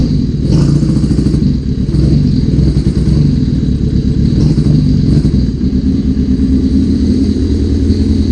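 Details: 1981 Suzuki GS650GL four-cylinder, first start after rebuild with new battery, plugs, oil, filter and pod filters, on choke: busy, slightly ragged low exhaust beat with small surges; runs fine, though a small carb fuel leak is suspected.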